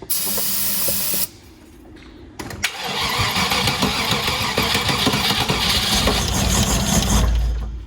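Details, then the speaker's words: Original Land Rover Discovery, spark confirmed: the starter churns evenly, then the engine briefly catches and runs on starter fluid sprayed into the intake. A fuel delivery fault, also suggested by the gauges; the fuel pump is suspected. "You could tell it wanted to run. I'm going to do it one more time. Okay, so the engine runs. It runs when we add fuel, which is the starter fluid. So we definitely have a fuel issue, which is what we suspected from the gauges."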